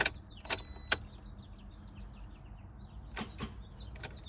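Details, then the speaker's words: 2009 Toyota Corolla no-start: new fully charged battery (12.5 V), fuses and connections good, key turned to start gives two sharp clicks then silence, no cranking; starter clicking only, owner suspects ignition switch, not yet replaced. "got a double click that time no click that time so i mean i guess at this point the only thing i haven't tried is the ignition switch"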